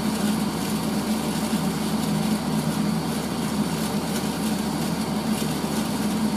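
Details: 1980s Tefal Spinmaster spin dryer (Calor, 2,200rpm max) doing an empty spin after towels, with water running through: a steady, even low motor hum, no rubbing, rattle or grinding. Normal running.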